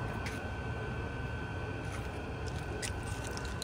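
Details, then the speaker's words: VEVOR 5kW diesel heater in a weatherproof box, first start, possibly at maximum output: steady low roar of burner and fan with a faint constant whine, no surging or popping. Early smoke is likely burning off packaging oils; running normally. "Okay guys, here we are, it's getting started, a little smoky at first. This is how loud it gets, I think, at the maximum though."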